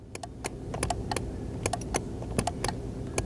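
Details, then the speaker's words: 2021 Mazda CX-9 power seat motor gives sharp irregular clicks over a low hum when the button is pressed, but the seat won't move forward or back; fix requires replacing the entire seat track/bottom. "I can hear it clicking but it ain't moving and that's the thing it just will not move it's not moving the thing forward and back"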